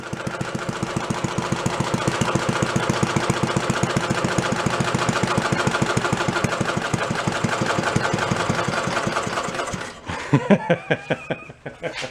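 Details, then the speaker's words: Antique Briggs & Stratton gas water-pump engine, about 80 years old and unused for 50–60 years, with a throttle spring because it was set up for about 3,300 rpm. The single cylinder chuffs slowly and evenly at a healthy slow idle before shutdown. "Good. It gets quiet."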